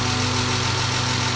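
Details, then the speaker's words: BMW E36 328i 2.8 L six-cylinder, first start after 7 years abandoned, fuel pump replaced: even idle with light quick tappy ticking, not smooth; owner suspects it needs an oil change. "It just to me sounds a little bit tappy and a little bit I don't know. It doesn't sound awfully bad, but at the same time, it doesn't sound really really smooth."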